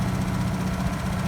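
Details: Honda EU2000i generator, unused for months, run outdoors in a winter wind storm at about 35°F, Eco mode off: steady, even low hum, no misses, knocks or surging; normal smooth running.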